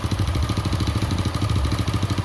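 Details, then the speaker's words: Honda Astra Star (Supra-type) motorcycle at idle, hard to start, cam chain checked okay: quick even light ticking about ten a second from the valve train, caused by oil not reaching the top end; oil was empty. "Oke teman-teman, jadi masalahnya di oli ya, oli yang nggak naik teman-teman."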